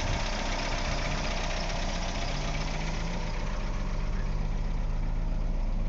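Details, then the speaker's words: 1998 Ford Escort ZX2 parts car running with fuel bypassed straight to the rail and no coolant. Steady low idle with an even beat and a slight valve tapping, common on ZX2s. Normal idle. "it sounds good I mean it's got a slight tapping in the valves but I haven't seen very many Z x2s that don't it's running I mean it's idling"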